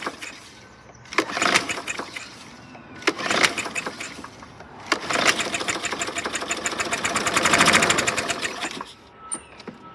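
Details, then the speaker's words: 2013 Murray self-propelled mower with a 625EX engine and automatic choke, water found in the carburetor: several pull-start bursts, then it catches and fires a few seconds before dying on the water-contaminated fuel; front wheel drive engaged at the end. "Okay, you heard it fire off. At the very end, I engaged the front wheel drive."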